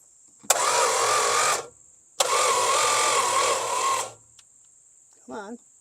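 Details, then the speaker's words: Long-sitting slant six after new points, battery grounds cleaned: starter whirs in two bursts of about one and two seconds, engine never fires; crank no start, no spark found, owner suspects interior wiring. "show me the love got no spark all right well I think that's hot I need to check the wiring inside"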